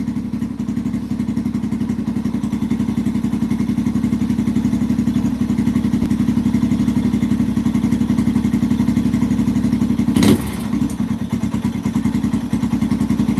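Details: 2005-2009 Yamaha TTR-230 single-cylinder, carburetor suspected after an adjustment to one and a half, tank refitted: low idle thumping, slightly uneven, gradually sagging instead of holding; only slightly improved, seems not getting enough gas, runs great on choke.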